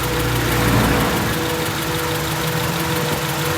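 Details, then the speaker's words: 1995 Acura Integra four-cylinder petrol engine with rough idle: uneven stumbling pulses; pulling cylinder 3 plug wire changes nothing, so cylinder 3 is misfiring; suspected plug, distributor cap or rotor. "so we know there's something wrong with engine number three"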